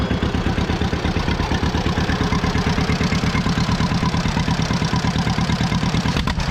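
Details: 83-year-old John Deere B, revived after 20 years stuck and not running: slow, even two-cylinder putt about three beats per second, deep and steady with no knocks or misses; sound idle.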